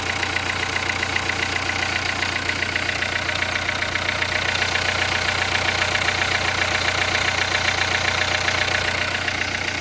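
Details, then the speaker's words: Renault 1.5 dCi with Delphi injectors, after new internal parts went into the worn injector that had excessive leak-off, about two minutes after start and still warming up: even diesel tick at steady idle, no misfire or hunting; normal idle. "Sounds good at the moment, but let's see what happens."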